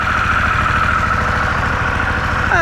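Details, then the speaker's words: 2023 Harley-Davidson Pan America, stock exhaust, just started in neutral: steady even low thumping V-twin idle with mild mechanical whir, slightly noisy at startup as commonly complained, no knocks or misses; normal idle. "I will say that one of the complaints about this bike is when you first start it up uh let's say it's noisy which it kind of has a little bit of a noise"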